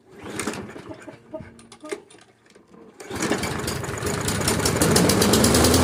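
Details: Toro Recycler mower after a tune-up, belt and frayed self-propel cable work, started to adjust the cable. A few quiet knocks, then it catches and climbs to an even, steady run with no misses or rattles. Normal running.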